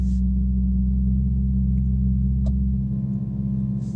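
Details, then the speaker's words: Infiniti M56 V8 with sport muffler, in cabin at about 1000 rpm: steady low droning buzz that stops when the door opens and returns when closed; active noise cancellation system acting up. "as soon as I open the door it stops as soon as I said it the buzzing comes back so it is active noise-cancelling system acting up"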